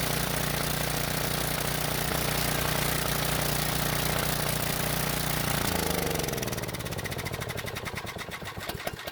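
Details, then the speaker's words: Briggs & Stratton generator, unused a while, after no-start repair: test run with a halogen work light as load; even, steady drone, then smooth wind-down at shutdown; running healthy. "it's also a good idea to put some sort of a load on the generator so i'll use this halogen work light to do that"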